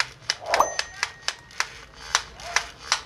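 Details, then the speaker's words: Skil 6552 550 W drill, chuck turned by hand: sharp, irregular clicks about three a second from broken gear teeth. "ela tá com um barulho estranho tá com é um barulho na quando você gira ela tá fazendo um barulho muito eu vou abrir ela aqui para para mim ver com a esse defeito quando liga Ela tá com barulho muito estranho"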